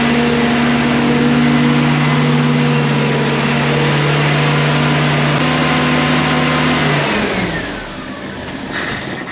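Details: Premier 118 NE car started after sitting unused a long time: steady even drone under light throttle, revs drop away smoothly; runs cleanly with no knocks or misfires.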